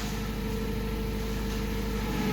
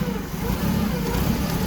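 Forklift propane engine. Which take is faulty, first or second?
second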